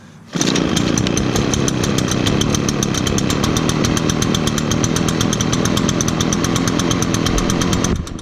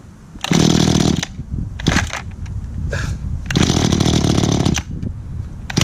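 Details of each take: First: Echo backpack blower, choked and primed via primer bulb under the carburetor: catches at once, crisp even two-stroke buzz holding steady high speed before easing back; normal running. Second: it sounds like I need to do some adjustments on the carburetor on this one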